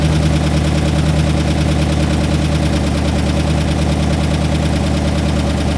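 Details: Rebuilt engine, first start after repairs with the cam sync not yet tightened: steady, even idle pulse of about two beats a second with no knocks or misses; it runs well, though the idle air-fuel reads about 11.1:1, rich on the driver's side.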